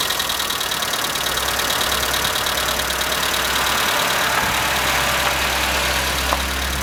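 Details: Skoda Fabia at cold morning idle: fast, light, even valvetrain ticking over engine hum; owner suspects hydraulic lifters, but dealer replaced all 16 in three visits and the noise persists; cause unconfirmed.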